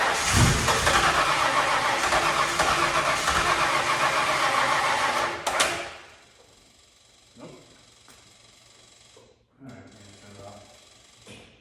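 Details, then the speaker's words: Ford Bronco after 11+ years sitting, couple gallons gas added, electric fuel pump on: catches, runs rough about five seconds, dies, weak retries; starts then stalls, owners puzzled pump worked then didn't, suspect pump suction. "well kind of strange what's that kind of strange that the pump worked and then it didn't work well it's a carburetor you know"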